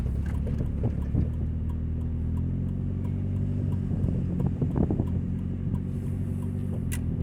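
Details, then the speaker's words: 2000 Nissan Altima driving: heavy, deep rumble far too loud for a small car, with raspy puffs on top; exhaust leak at the braided flex pipe, louder under throttle. "noise is disgusting. So I want to hear it the shortest time possible."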